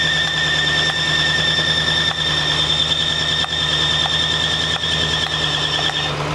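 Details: 1965 Mustang GT convertible after replacing belt and fitting Tuff Stuff 7068K 140 A alternator: constant unchanging high-pitched squeal over idle; belt drive suspected, cause unconfirmed.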